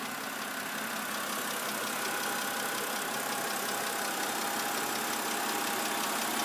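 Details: 2008 BMW 328i coupe at idle: fast, fairly even light ticking about three per second; lifters replaced under service bulletin but tick returned, dealer now suspects cylinder head.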